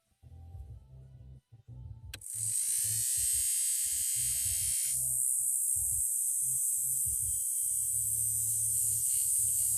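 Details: Lada Niva Urban heater blower motor after repair: fan spins up sharply to a steady high whir, even and smooth, no rattles or scraping; motor sounds healthy.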